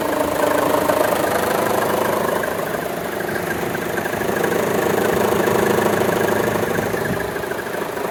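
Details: 2014 Chevy Cruze 1.4T, 71k miles, idling with AC on: slow surging swells and an uneven pulse, a shimmy shake under compressor load. Vacuum diaphragm and check valve intact, no DTCs; cause unknown.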